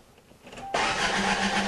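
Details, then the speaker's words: Salvaged Toyota 4A-FE engine, freshly installed after sitting a long time, with spark and fuel disabled. It is cranked about 10 seconds to build oil pressure before the first start: a steady starter whir that never fires. "I just want to turn the engine over for about 10 seconds or so the idea is this engine's been sitting still for quite a while and I want to build up oil pressure in it before I start"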